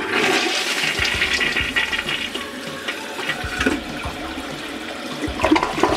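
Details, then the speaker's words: Toilet that drained poorly though not clogged, repeat flush after clearing deposits from the rim holes with a wire: strong rushing flush ends in a deep gurgle as the bowl empties fully, then clean refill; the gurgle means the fix worked. "i'm going to flush again the second time uh if you hear the same sound that gullible sound is what you want to hear if we hear that again that definitely would mean um this has actually worked"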